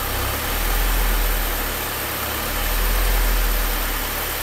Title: Rough Idle